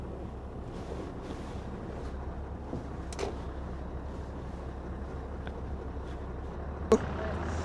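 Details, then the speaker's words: Scania R620 V8 diesel truck after full engine service (clogged parts cleaned): steady low even hum, much quieter and smoother than before, no knocking or rattling; normal idle. "c'est sûr c'est que voà il est beaucoup plus silencieux, beaucoup plus il tourne rond quoi."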